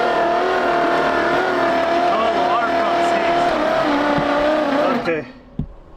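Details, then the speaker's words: 1968 Oldsmobile 442 (Cutlass) with engine believed locked up, oil mix in cylinders, crank attempt: starter whines steadily while engine turns over sluggishly, dragging hard, never catches; afterward a seized water pump suspected as the cause. "it's cranking ain't happy about it's"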